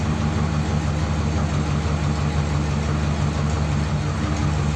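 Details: Ford Thunderbird V8 started after sitting unused for ages, nothing done to car or battery, no choke: deep steady idle with a slightly uneven, lumpy beat, nothing loud; mildly rough idle.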